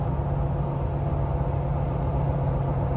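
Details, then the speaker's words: Jeep after a misfire repair, 50 mph in sixth gear at very low rpm on 37-inch tires, climbing a hill: deep steady drone, even and smooth with no stumble or misfire; normal running under load. "now we're doing 50 miles an hour in sixth gear and we're on 37s and here goes another Hill"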